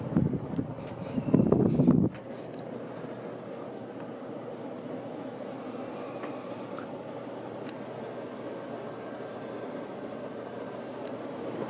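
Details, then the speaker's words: Casablanca Victorian ceiling fan, 1993 motor, on high after a bent blade was straightened: steady even whoosh and smooth hum, no ticking or wobble; runs normally. "go to High oh way you can really hear that it's gone now but this thing has kind of a crazy startup line for a k55 fan especially of course it's going real fast"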